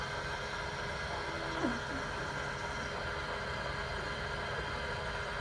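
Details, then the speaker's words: 2018 Ford F-350 6.7L diesel, key on and engine off, after a fuel filter change: a quiet, steady electric lift pump hum, still pushing air out of the fuel system and getting quieter. Cycling the ignition off and on helps clear the air. "may have to cycle the ignition a couple times before it gets all the air out it's getting quiet"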